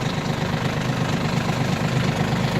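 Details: Yanmar RS30 30 hp Japanese diesel mini tractor, driven in 2nd gear with reverser, hydraulic power steering: steady, even low diesel thrum with no knocks or rattles; runs without any noises, healthy.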